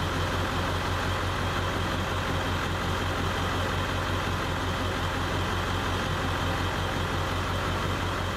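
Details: Ford F-250 7.3 Powerstroke diesel, warm, in park, idling as scan-tool cylinder contribution test cuts cylinders in turn; truck misses and shudders: low, thumping, slightly uneven beat; P0263 cylinder 1 follows, injector suspected, not definitive proof.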